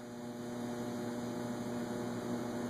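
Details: Antique Robbins & Myers five-blade ceiling fan (circa 1945) with three speeds and reverse pull chain, running forward on high: smooth, steady electric hum with a constant low tone, no rubbing or ticking; running evenly.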